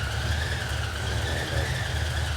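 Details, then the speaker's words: 1968 Chevy C10 with small cam engine, just started after jump and priming, idling with oil pressure; steady high-pitched whistle over low even rumble, source unknown. "i want to know what that whistling noise is there's a little whistling noise i don't know what that is that doesn't sound right"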